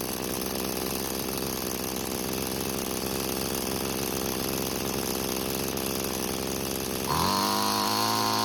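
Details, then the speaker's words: Free curbside string trimmer (two-stroke) after carburetor's single fuel adjustment screw was turned clockwise to lean it; engine buzzes steadily then sags and dies despite turning screw back, stalling from lean mixture. "so initially i tried turning it clockwise to reduce the fuel flow and it killed the engine as it was dying i tried saving it by turning it back but i wasn't able to catch it this time"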